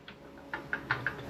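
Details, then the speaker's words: Toyota Supra MK4 differential rebuild with LSD carrier, after moving shims for more backlash: sharp metallic clicks, about five in 1.5 seconds, as the crown wheel is rocked; far too much backlash, around 0.14–0.15. "I can hear that's a little bit more already. Yeah. Oh, yeah. That's got way too much. Yes. Way too much."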